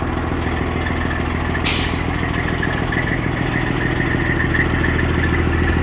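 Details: Freightliner Cascadia with a straight-piped Detroit 60 Series diesel, in neutral, warmed up a little after a cold start: deep, loud, even idle with a steady low pulse and crisp exhaust bark; smooth, normal warm idle.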